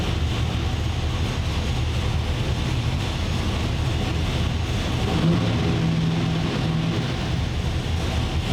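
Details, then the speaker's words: 903 cubic-inch Hemi V8 running before any dyno pull: deep steady rumble with lumpy, 3/4-race-cam-like rhythm and sharper response than before, no knocks or ticks, though running super rich. "Yeah, this thing sounds like Way more response. I mean, it sounds like it's got a 3/4 race cam in it."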